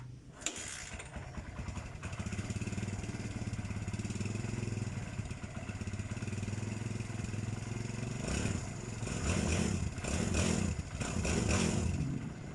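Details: Barako 2 motorcycle after a tune-up and timing chain tensioner reset: it catches quickly, settles into a smooth, even idle, then takes a few clean throttle blips without rattle or hesitation. Running normally.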